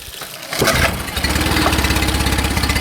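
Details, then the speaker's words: Mercury 9.9 4-stroke outboard after tightening a loose fuel pump screw (carburetors fine): started with no choke, two primer bulb pumps, one pull; catches at once into a steady, even idle with no stumbling or cutting out. "There it goes. Perfect. That's what it's supposed to do. Yep. There's the beast. She's awake again."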